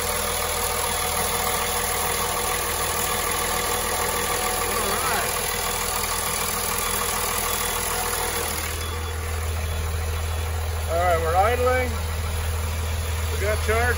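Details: 2004 Blue Bird SC2000 transit bus, six-cylinder diesel, long-sitting and towed in, first start, heard outside by exhaust: low, steady, even idle with no knocks or stumbles; normal idle.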